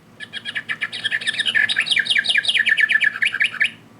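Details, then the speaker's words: Singing bird clock: about three seconds of thin, buzzy, digital-sounding chirping with weird lower tones. Birdsong distorted, some birds silent. "See how that it's kind of broken? I I don't know. Very digital sounding."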